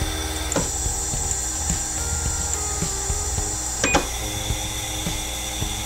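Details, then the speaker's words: Stepper motor on the X-axis of a machine under manual control: steady high buzzing whine with faint ticks nearly twice a second while the axis refuses to turn; stalling; supply voltage was later tested and ruled out, cause not confirmed. "But it's making some weird noises, and it's not turning."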